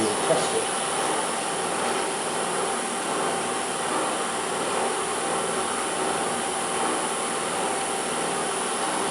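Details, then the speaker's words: Land Rover LT230 transfer case reported noisy, after about an hour warm on a test rig, measured at 72 dB running versus 44 dB off: steady, even hum and hiss, no knocks, grinding or whine; no untoward noises. "well I've had this box running for about an hour and there's no sort of unto a noises"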